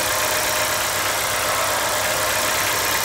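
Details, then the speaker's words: GM Corsa after service, old leaks cleaned and resealed with silicone, coolant level still slightly high: smooth, even idle with fast light injector ticking and no knocks or misses; only the injectors pulsing are heard; engine healthy. "Tá funcionando aí sereninho. A única coisa que dá para ouvir é os injetores pulsando."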